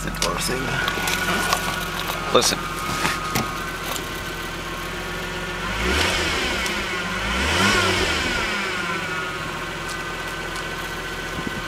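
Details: 1989 Toyota Supra Turbo with a high, thin whine or squeal rising in pitch and volume with acceleration; owner first suspected belts but found them fine, cause unknown.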